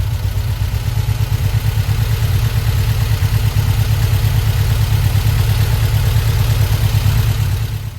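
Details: 1952 VW Split Zwitter bus, freshly installed 1904cc stroker flat-four (74mm crank, 90.5mm pistons, replacing 1641cc), first run after install: deep steady rumble with lumpy even beat under light revs, no knocks or rattles; healthy, though a leak was noticed.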